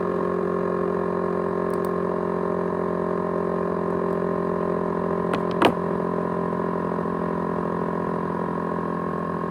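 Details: ASUS X543UA laptop with 500GB USB hard drive: constant droning whine with several steady tones and a brief click midway; loud whine, cause undetermined.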